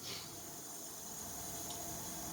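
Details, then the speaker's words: Chevrolet Camaro LT1 leak-down test, engine off: steady airy hiss heard in the exhaust header as air escapes past a bent exhaust valve, believed bent from a backfire. "obviously we have a major problem here and it sounds like it's the exhaust because you you can hear that in the header"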